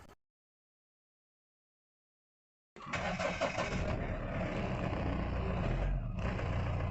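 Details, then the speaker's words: Mahindra Bolero Pickup diesel after unlocking immobilizer (key programmed via immo sync, engine and immo DTCs cleared): after a quiet pause it fires at once and settles into a steady, even idle, key light stops blinking; clean healthy start. "अभी start करके देखते हैं। और यहाँ गाड़ी start हो गई।"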